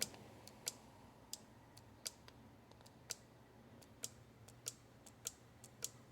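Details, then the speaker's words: Purge solenoid off a 2016 Ram 1500 Hemi with code P0456, tested with applied power: sharp, crisp faint clicks about every half to one second; solenoid actuates normally, leak suspected at its diaphragm not sealing. "It's very small, but you can feel it with your hand. It's a clicking."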